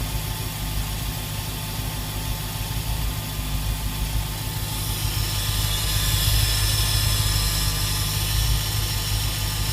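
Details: SRT8 V8 at idle with a steady airy hiss rising over the deep idle about halfway through.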